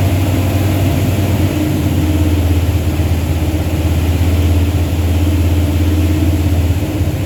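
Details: Truck with a 360 Mopar LA V8 and a Holley double-pumper carb, idle turned up, vacuum gauge attached: lumpy, wavering beat held at fast idle; rough idle, won't idle below about 1,500 rpm. Vacuum leak or carb suspected, unconfirmed.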